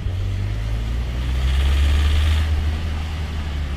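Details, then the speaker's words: Honda Accord CU3 diesel accelerating: deep rhythmic knock about four a second with DPF light on; fuel leaking from exhaust and white smoke noted; owner suspected bottom-end bearing or DPF. "i don't even know what that sound is like the dpf light is on and then this sound when i accelerate it sounds like the bottom end bearing"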